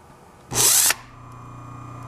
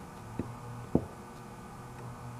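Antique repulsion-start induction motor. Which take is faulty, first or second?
second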